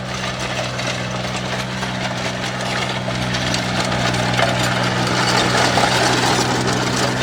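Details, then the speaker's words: Powertrac G28 mini tractor diesel at its second service, after replacing the Bosch fuel strainer filter, the tractor having been cutting out as if out of diesel: steady low drone under light load, no stumbling or dying; engine pulls cleanly and runs normally. "ನೋಡಿ, ಇನ್ನೂ ಹೆಚ್ಚಿನ ಈಗಲೇ ಗೊತ್ತಾಗ್ತಿದೆ ಗಾಡಿ ದಮ್ ಕಟ್ತಿಲ್ಲ. ಯಾಕಂದರೆ ದಮ್ ಕಟ್ಟಿದ್ರೆ ಗೊತ್ತಾಗ್ಬಿಡೋದು ಇಷ್ಟೊತ್ತಿಗೆ."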